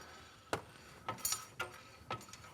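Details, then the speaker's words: Car's rear wheel turned by hand during a rear differential check (diff backlash and output shafts fine, no leaks): sharp metallic scrape about twice a second; something hitting the rusty back plate, possibly the brake, brake to be stripped down. "Oh, hello. That's something hitting that back plate, isn't it? >> Yeah, that sounds horrible."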